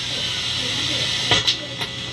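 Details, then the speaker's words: SDE-3000A delay on test: steady high hiss with a couple of brief clicks, louder in the lower gain setting of the rear level switch than in the higher one, plus some whooshing. "so it gets more hiss in the lower gain setting there's the hiss and it's got a little like wooshy wushy happening"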